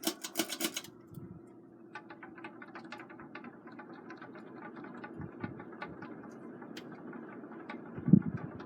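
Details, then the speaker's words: 2002 Hunter Mission ceiling fan on high speed: rapid, uneven clacking ticks like bamboo sticks knocking over a soft steady fan hum, something loose rattling as it spins; noise is why the fan is being taken down. "It's gonna start making a whole bunch of noise here in a minute. And that's the reason why I'm taking this thing down."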